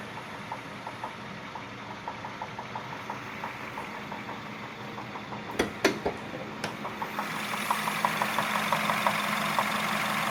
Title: Стук в двигателе пежо 508 1.6tnp